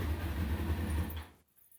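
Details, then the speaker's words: Kawasaki ZX6R after passing its MOT, restarted warm inside an enclosed garage: a low, steady, even burble at tickover, not harsh or raspy, before it cuts off; a normal stock-exhaust idle, no louder than a car. "it sounds much more like a standard bike it's not much more noisy than my car if I had my car in here fully made about that much noise"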